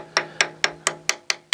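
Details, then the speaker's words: Catalina 380 sailboat after a hard grounding, tap test of hull fiberglass: eight sharp even taps about four a second sound dull and hollow, indicating voids and fractured laminate. "Now you can hear definite voids in there. Right in here, we can tell the difference. You can hear a bit of a hollow. So that fiberglass in here is definitely fractured."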